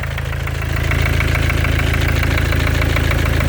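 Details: 2014 Mercedes with OM651 biturbo diesel, 300k mileage, at idle: a regular light knock about three per second, like a small hammer, near the turbo area, the same cold or hot; the source is not pinned down.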